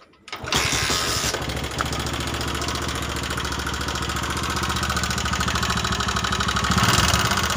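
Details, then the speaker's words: Honda Megapro New 150cc monoshock engine running: harsh, clattery idle with a ragged beat around three per second. It smokes, is sluggish, burns more fuel and gets worse when hot; traced to a worn piston, cylinder and valve guides. "dan yang pasti Suaranya sangat kasar ya Lur dan motor pastinya loyo dan BBM aja yang boros karena suara kasar dan motor jadi gak enak ya"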